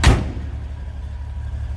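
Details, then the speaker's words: 1949 GMC 5-window pickup, inline 6-cylinder 3.7 L, four-speed manual: short thump then low steady even rumble, no misses or knocks; idles smooth, normal. "6-cylinder 3.7 liter down nice and smooth air runs"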